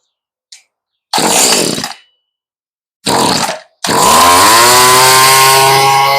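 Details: Stihl string trimmer after a fuel-line and carb rebuild, low-side screw a quarter turn out, choke off: short pull bursts, then it fires and buzzes high for a couple of seconds before fading; nearly starts then dies, carb mixture still off.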